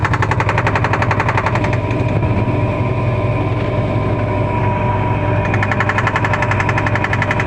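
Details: LG washing machine on spin cycle: loud fast rattling hammer, about four knocks a second, as the motor pulls; noise remained with the drive plate removed and stopped once the balance ring was removed, pointing to a failed balance ring.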